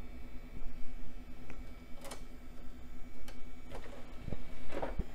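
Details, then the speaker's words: 23-year-old Y2K-era computer's IDE Sound Blaster CD-ROM booting a Knoppix disc after the tray had to be helped open: quiet steady spin hum with soft seek clicks. The drive is reading normally. "sounds like the CD guys working"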